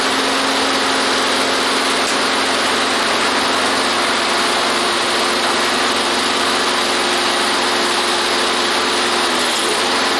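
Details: Toro lawnmower single-cylinder engine after decarbonizing the head and fitting a new head gasket: holds a steady, even buzz at constant speed with no misses or knocks; runs smooth and healthy after repair.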